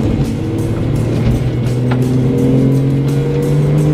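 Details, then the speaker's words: 2002 Porsche 911 996 Targa M96 flat-six after misfire fix, in fourth gear from about 1500 rpm at full throttle: engine climbs smoothly with no stumble or hesitation, pulls cleanly without misfire. "just pulls and pulls and pulls and i need to lift up fantastic"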